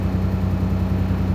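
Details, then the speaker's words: Owner-operator diesel semi truck after idling all night in the cold with temperature control on, going into regen; soot level not high: deep, even rumble with a steady low pulse and no knocks or misses; normal idle. "I looked at the soot level. Soot level's not high. It's just doing its thing."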